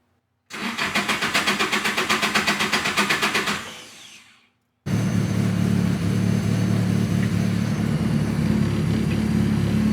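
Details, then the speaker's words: Project car's first start after a two-year build, idle auto-adjusting toward a 900 rpm target: a long, even crank at about four beats a second fades, then the engine fires and settles into a steady idle; an extended crank before starting. "Yeah, right now it doesn't wanna. I'm gonna crank again."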